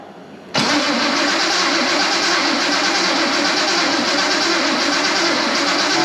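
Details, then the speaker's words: 1973 Datsun 240Z, L24 with L28E head, turbo, sat 20+ years, fuel pump on, spark present: engine catches and churns roughly without settling, stumbles and won't run; cranks but will not start. "It stumbles and it has spark and it just won't run."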